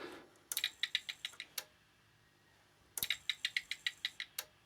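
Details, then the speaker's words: Dell OptiPlex 760 with flashing orange power light, peripherals disconnected: each power-on gives a quick burst of about eight sharp crackly ticks, then silence, no lights; sounds worse than before, sparking. "no it doesn't sound very good so if it sounds worse than before so it's not that that I've disconnected the peripherals it's just sounds more worse it's not lit up"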